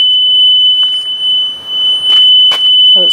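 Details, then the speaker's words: Five-year-old Haulotte scissor lift: steady high-pitched buzz, unbroken with no on-off pulsing; the motion alarm, meant to beep intermittently, is stuck on continuous. "And the other thing is that it makes a lot of racket when you, like a beeping. I think it's meant to be like a beacon, like beep, beep, beep. But instead it's just staying on solid."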